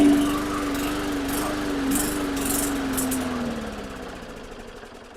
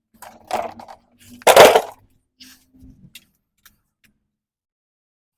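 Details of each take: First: Hyper Tough lawn mower, Briggs & Stratton 300E 125cc: starts with primer but runs briefly, pitch sags and dies; spark and compression present, suspected no fuel reaching the carburetor, carb cleaning planned. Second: Briggs & Stratton 300E 125cc on a Hyper Tough mower that started then stalled, after carb and fuel system cleaning: a few quiet clicks, then catches and settles into a steady, even running note; runs normally.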